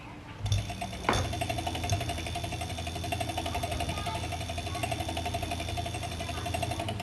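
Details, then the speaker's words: Venom E-Vader 2000W electric motorcycle on a rear stand with throttle applied: rapid, even clicking over the motor whine as the rear wheel spins, getting louder with more throttle; the brake cable's metal guard is striking the rotor. "I'm going to give it a little bit more and you can hear it even click even probably louder"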